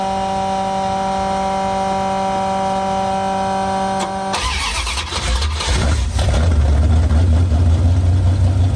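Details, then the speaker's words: 1973 Dodge Dart with rebuilt 360 V8, first drive after swap, fuel primed, distributor adjusted: steady hum gives way to the V8 firing and settling into a loud, even rumble; normal running, only a minor coolant leak noted. "all right so it seems to be running good I'll drive it up another driveway"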